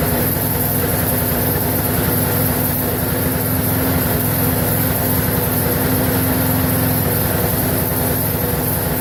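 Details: Briggs & Stratton 4.75hp mower engine, possibly Craftsman, previously wouldn't run and reportedly died 10 minutes after earlier fix, now run-tested; steady even beat at constant speed without surging or dying; normal running.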